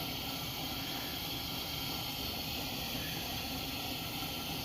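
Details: Old Wenzel kerosene pressure lantern, first fire after cleanup, lit after rapid-heater priming: steady even hissing roar without sputtering, popping or surging; burner running properly.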